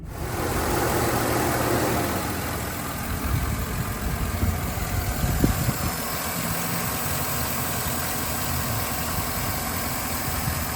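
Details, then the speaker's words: 2011 Chevy Silverado 5.3L V8 after replacing the spark plugs and wires, cylinder 7's having been arcing and caused a P0307 misfire: steady, even idle that settles down with no check engine light and no RPM hunting. "So you can see there, idle came down now. Everything looks good. No check engine lights. No weird RPM gauge going up and down or nothing, so we are uh I'd say we're good."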